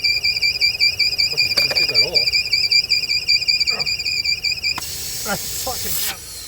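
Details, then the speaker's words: 2007 Audi TT petrol engine after front-end crash repair: steady, piercing high-pitched whistle/squeal that others blamed on fan belt; actually a vacuum leak from a torn PCV valve diaphragm in the rocker cover. "then it goes okay keep driving along and this high-pitch squeal would start yeah and they could never work it out"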